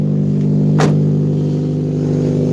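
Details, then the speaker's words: Car with rotted-out exhaust at steady idle: loud, raw, blatty drone much harsher than a stock muffler, one of the loudest cars started; exhaust leaking from the rotted-out system. "and of course a loud Echo right here that is probably the loudest car I started up actually no the Mark 8 is but this one has rotted out exhaust too"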